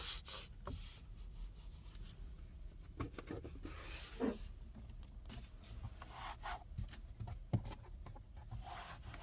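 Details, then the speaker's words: Renault Espace E-Tech Full Hybrid 200 (2024, esprit Alpine), cabin: soft irregular rubbing and creaking each time the interior plastic trim is pressed harder, loose-fitting panels; interior trim creak. "jak Słyszeliście kka które skrzypią pod mocniejszym naciskiem"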